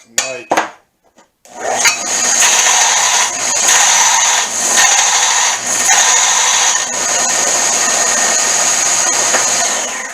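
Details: Homemade 1-inch belt sander after replacing noisy wheel bearings with car serpentine-belt pulleys and a redesigned tensioning lever: steady high whir with an even scratchy hiss under heavy sanding pressure, no slap or wobble; running smoothly.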